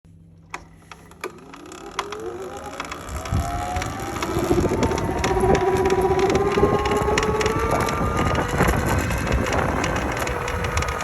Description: Hoping someone has a diagnosis for this clicking sound. The bike is super fun, but it sounds like it's going to fall apart.